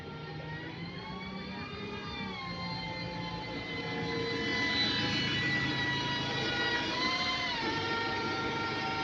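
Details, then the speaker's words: Worn Voith DIWA gearbox on a London bus: a loud whine rises and steps in pitch as it pulls away and shifts, over the engine drone. Worn gear teeth are singing; the gearbox was quiet when new. "You watch, because them bosses, they weren't sounding like that when they were brand new either. They were bare quiet and that."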